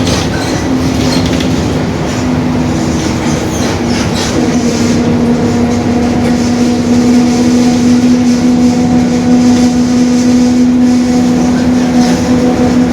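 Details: 2021 Marcopolo Torino S stretched bus on a Mercedes-Benz OF-1721 BlueTec 5 chassis, rolling; a steady low whine of near-constant pitch over the bus noise. The differential is growling (drivetrain whine).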